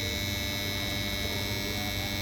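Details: Capacitor cabinet: loud, steady electrical hum with a harsh buzzy edge and no change in level; cause of the buzz undetermined.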